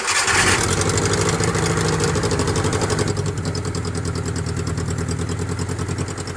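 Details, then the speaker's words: Suzuki F10A engine just after top overhaul, started without radiator coolant or muffler: cranks briefly, catches at once and settles into an even steady idle with regular firing, no knocks or misses. "Andar, wala na siya problema mga idol, no?"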